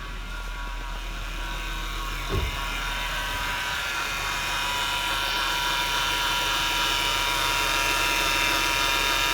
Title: Whine noise on a 2007 Acura TL